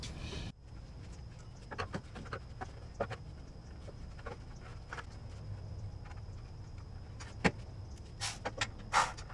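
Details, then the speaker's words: Toyota Tacoma 2.7L with a misfire: the fuel injector is fed 12 volts and gives sharp, irregular clicks over a low hum, showing it still works. "I apply a 12 volt to it and I can hear clicking so that means when you hear clicking is uh it's still working"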